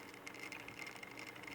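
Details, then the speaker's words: Cutty Sark ship-motion display's 120 VAC synchronous gear motor (about 6 rpm) run at 87 volts on a variac: a quiet hum with faint, rapid, irregular clicks. The slip clutch slips and the shaft can be held while the motor keeps turning. "it's turning the shaft is turning but i can but you can hear that clicking sound and i can hold the shaft and it and stop it from turning yet the motor is still turning"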